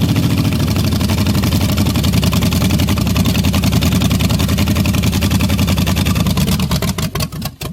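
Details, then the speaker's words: 1976 Chevy Chevelle Laguna 305 V8 with side pipes at idle: loud lumpy open-header idle with steady even pulses, no knock or tick; no major knocking heard, oil pressure unchecked as gauge not working; sounds healthy. "as far as I could tell I didn't hear any major knocking or anything"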